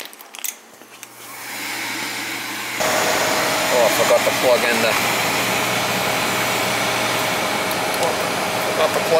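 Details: Goodman 90+ gas furnace, no-heat call with a 3-blink code: after the water-filled, blocked vacuum switch hose/port is cleared, the inducer motor kicks in at about three seconds with an even, steady hum, running normally.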